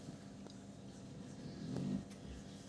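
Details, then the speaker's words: Bosch SMV50E10RU/D5 SD6P1B dishwasher, customer complaint of humming and not starting, on test program: steady low hum with faint buzz from the drain pump draining, no rattle or grinding; sounds normal. "сейчас мы включили режим рюмки слышал как сливает работать сливная помпа слив"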